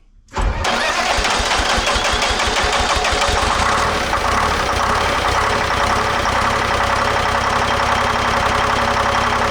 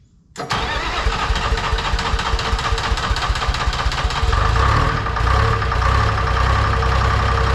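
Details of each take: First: Lull telehandler Detroit Diesel 3-53 two-stroke after a proper starter negative cable: short crank catches almost at once, fast even beat settles in; first time ever started without ether; normal start. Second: Lull telehandler Detroit Diesel 3-53 two-stroke, cold start at about 60°F with ether despite new starter: cranks several seconds, catches, rumbles roughly with a big smoke cloud; hard cold start, owner suspects worn compression rings from years of ether.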